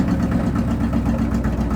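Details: C60 Viking revived after 40 years, clutch bled: even low burble at idle with steady pulse and no knocks or grinding; normal idle.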